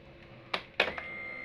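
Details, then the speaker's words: Honda Vario 150 that stalled and would not start: after replacing a broken part, a couple of clicks at key-on then a faint steady high hum as the fuel pump primes normally; no hum means no fuel reaches the engine. "kalau nggak dengung itu bensinnya nggak mau turun ke mesin sehingga sudah bisa dipastikan motornya tidak akan nyala"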